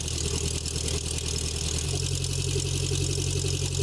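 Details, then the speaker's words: 1984 Nissan 720 pickup, Z24 four-cylinder with eight plugs and two coils, cold start after replacing chewed spark plug wires: settles into a steady even idle with a firm low rumble, no misfires, ticks or hunting. "I did not start it up this morning, so we'll be starting up cold. Looks good. Sounds good."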